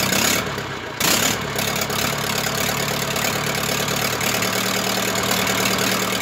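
Diesel catches after a brief crank and settles into a steady, even idle with no knocks or misses; sounds healthy.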